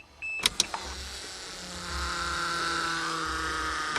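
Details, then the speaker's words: 1982 Toyota Cressida electric fuel pump after rewiring, priming with air purging from the lines: a couple of clicks, then a steady, even electric whir with faint high hum; pump running properly. "where the fuel lines go out he the pressure changing she's priming I hear the air purging out of the system"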